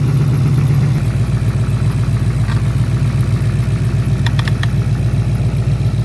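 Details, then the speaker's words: 2013 Mustang GT just after water pump replacement and coolant refill, heater on, owner noting an oil leak: steady low idle with a faint, fairly regular light rattle about two or three a second, worse than before; cause unknown. "Y'all can hear that? Slight rattle. Hear it? It's even worse now."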